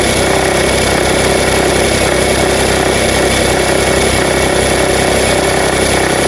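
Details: Nissan Note NISMO e-POWER (HR12 engine), bought used, about six months after delivery, owner suspects a faulty sensor; steady idle with faint irregular ticking about three times a second over engine hum; engine abnormal noise at idle, cause unclear.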